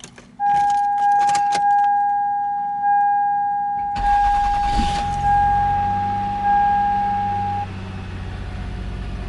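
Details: 2001 Toyota Sienna: steady chime, then short crisp crank catches quickly and engine settles into an even run; normal start.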